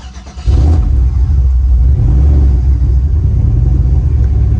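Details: Turbo Chevy Silverado started right after an oil change with 6 quarts, before a drag strip day. Short crank, then a deep, steady rumble with no knocks; oil pressure reads 58 PSI: healthy.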